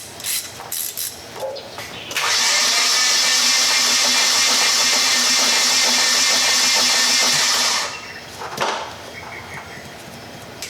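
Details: Nissan 240SX KA24DE with suspected timing chain failure, won't run: starter spins the engine evenly about six seconds with a steady whirr but it never fires; crank no start while testing compression.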